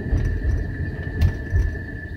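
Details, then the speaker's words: Steelman Chassis Ear microphone clipped to the right front wheel bearing while driving, hunting a front-end noise and vibration that worsens with speed. Soft, even low rumble with no grinding or growl: normal rotor and bearing noise. "normal rotor noise rotor impaired noise"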